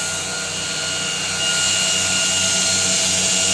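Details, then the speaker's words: 2x72 belt grinder switched on after moving the table, no tracking adjustment needed: even high whir with steady tones, no knocking, catching or grinding; runs smoothly, normal. "I'm going to turn it on oh look I don't have to adjust it stay perfect runs perfect it's in place where I need it"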